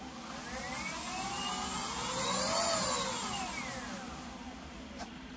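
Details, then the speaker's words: Leaperkim Sherman electric unicycle after tightening the loose axle bolt and aligning the new tire: smooth hub-motor whine rising and falling with wheel speed, with no knocking, scraping or rubbing. The earlier noise is gone. "so the axle bolt has been the tightened so that noise is gone now"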